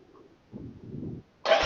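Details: Royal Enfield Hunter 350 after new battery installed, previously would not self-start: brief low churning crank, short pause, then the single fires and settles into a loud steady run; clean electric start, charging 13-14 V.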